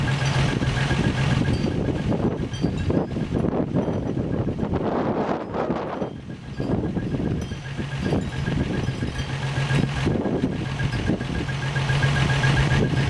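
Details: 1963 Rambler American first engine start after rebuild: deep, steady idle with no knocks or ticks; coolant at 195°F with 195°F thermostat, oil pressure above 30 psi gauge, slight exhaust leak; normal idle.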